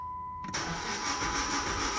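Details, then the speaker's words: Chrysler 300 cranking with a broken timing belt, engine jumped time: a chime, then the starter spins the engine fast and evenly without ever catching; no-start. "And what that is the car's jump time. Now sometimes a car jump time, you might be able to give it a little bit of extra gas and make it start up, but as you can see, the car's not going to start."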